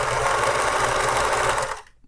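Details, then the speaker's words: Vintage Pfaff 360 sewing machine at full pedal speed, though pedal may be misadjusted: fast, steady stitching chatter holding an even rhythm; handles the load normally with a good-looking back stitch. "it's handling it though and the back looks pretty darn good"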